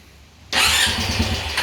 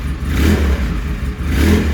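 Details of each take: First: Trashed ATV smoking from every orifice, including the air box. It cranks, catches suddenly, then runs rough and uneven and won't settle: hard start and stall. Owner suspects worn rings, with blow-by soaking and fouling the spark plug once warm. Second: ATV. Deep, strong V-twin blips rise and fall about once a second with crisp throttle response and no misfire or knock: normal revving.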